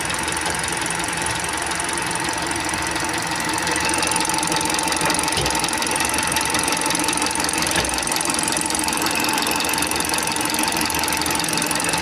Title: What does tappet noise sound like / engine tapping sounds / what does lifter noise sound like